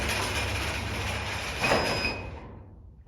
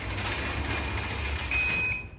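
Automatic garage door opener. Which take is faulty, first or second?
first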